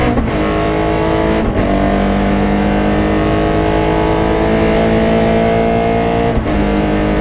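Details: Rally car engine held hard at high revs under load during a Rally Barbados 2017 stage, running rough and uneven; misfire caused by a broken injector wire.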